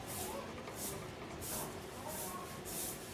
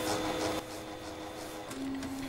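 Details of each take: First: A3 DTG UV flatbed printer built on Epson SureColor P400 motherboard with DX7 print head, after motherboard and head replacement: repeated carriage sweeps with whirring rasp, then short beeps; startup fails with error 52H (paper jam); APG sensor suspected. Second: Epson SureColor P400-based A3 DTG UV flatbed printer showing 52H/71H errors; paper feed (PF) motor turning clockwise at start-up initialization with steady even hum, no grinding or clicking; normal paper feed motor.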